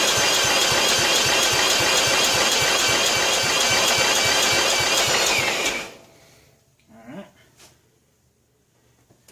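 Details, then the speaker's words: 1995 John Deere STX38 lawn tractor found parked, off choke at about 50% throttle. Starter spins it evenly for about six seconds with no firing; the cylinder is soaked in gasoline. Cranks but does not start. "Oh yeah, she's just soaked in fuel. She's just soaked in gasoline."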